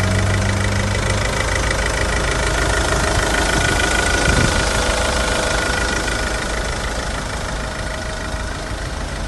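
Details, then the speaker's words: Idle after running since start-up, engine recently serviced with cam belt and water pump changed in 2019: steady, even idle with a low rhythmic beat and no knocks, rattles or bangs; normal idle. "the car has been running since the start video so as you can hopefully hear there's no knocks bangs or rattles"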